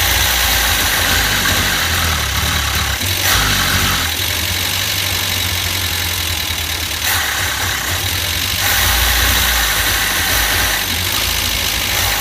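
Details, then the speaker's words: Max the van just after an engine top-end rebuild: loud, lumpy idle surging about four times a second, won't accelerate; owner suspects too little vacuum to open the carburettor's second butterfly, rocker and timing covers then removed. "today we're starting him up and see if he works any idols but he won't accelerate"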